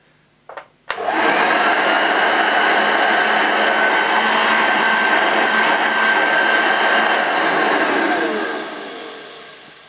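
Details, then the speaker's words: Unused 1975 Hoover Junior 1346A upright vacuum switched on for its first run, belt not yet fitted: motor and suction fan spin up to a steady smooth whine with airy rush, then coast down cleanly; sounds healthy. "well that sounds fine I'm a little less worried"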